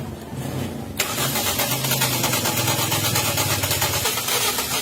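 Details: Toyota Vios, flood-submerged and not run since December, won't start; weak fuel pump already replaced, ECU/ignition now suspected. Starter cranks steadily with an even churning rhythm but the engine never catches: crank no-start.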